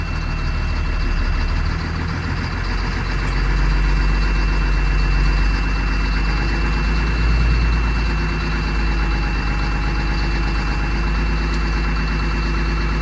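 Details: 2004 Blue Bird Vision school bus, 7.2L Caterpillar C7 210 HP diesel, cold started at 23 degrees with jumper cables. A deep, steady rumble settling into an even idle with no knocks or stumbles. Healthy cold idle.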